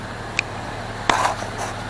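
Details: 2002 Jeep Liberty 3.7 swapped engine at warm idle, temp normal: quiet, steady low hum with a couple of stray clicks, smooth and even; check engine light on (hard start or coil pack suspected), smoke from oil-covered exhaust.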